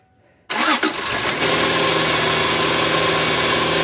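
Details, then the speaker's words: 2001 Subaru Outback 3.0 H6 after serpentine belt, tensioner and idler pulley replacement: engine catches at once and runs evenly with no squeal or chirp from the belt; normal start and idle. "Next thing would be to fire it up, make sure everything turns. Okay, now the test fire."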